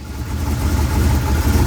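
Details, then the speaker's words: Rebuilt 383 V8 with new valves and lifters, back in the car: steady idle with normal light sewing-machine valvetrain patter and none of the earlier metal-on-metal tick; warmed up, good oil pressure. "all right it's running everything sounds good that's got the sewing machine sound which is normal but it doesn't have that metal on metal tick anymore like it did"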